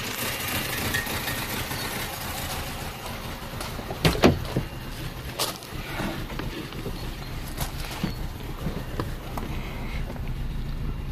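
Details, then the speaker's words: 2006 Vauxhall/Opel Astra H Z14XEP 1.4 petrol (dual fuel, run on petrol mode) idling rough and uneven with stumbling and thumps; stalls sometimes; compression test found one cylinder with low compression causing the misfire. "pretty mellow there is guys I hope you can see how badly is misfiring the car hacks me stalls sometimes but this is why it is"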